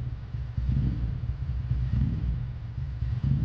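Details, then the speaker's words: 2003 Ducati ST4S V-twin with a previously rebuilt engine, warming up at idle after a gear-selector spring repair: low, lumpy, even rumble. The engine sounds healthy. "engine sounds actually good it has been rebuilt before but that's another [Music] story"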